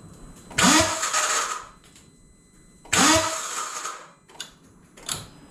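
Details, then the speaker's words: Vauxhall Corsa in freezing weather: two short, rough cranking bursts dying after about a second, then only faint clicks; starter motor failing, to be replaced. "yeah so let's start as buggered not a big deal no um i'll just whip it off and get a get another one up"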